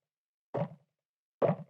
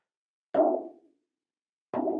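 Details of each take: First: Wildtronics Feather Light parabolic dish with dampening ring fitted, tapped twice; short dull taps with no ring after, showing the dampening ring greatly reduces pinging and ringing. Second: Wildtronics Feather Light parabolic dish without dampening ring or mic unit installed, held up to the mic and hand-tapped five times about a second apart; each tap leaves a thin tinny ring that hangs on, showing the undamped dish ringing.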